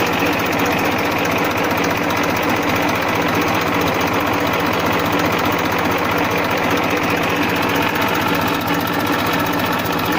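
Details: 1994 Massey Ferguson 1035 DI tractor diesel engine running at constant speed; even, steady clatter and hum with no knock standing out. Engine running normally.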